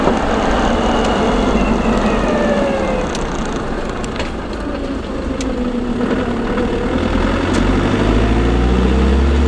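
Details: Land Rover LT230 transfer case, sound proofing fitted: steady gear whine rising and falling in pitch with road speed over drivetrain rumble.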